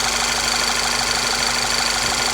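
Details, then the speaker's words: Volkswagen CC after new ignition coils replaced the faulty ones: steady, even idle hum with no stumbles; normal smooth idle. "But it seems to be idling real smooth now."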